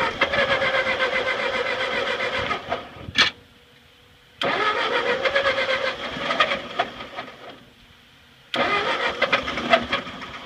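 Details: Ford 8N tractor that sat at least 4-5 years, first start attempt with fresh gas, carburettor drained and choke used: repeated starter cranking bursts with brief sputters, never catches. A fuel drip is also present.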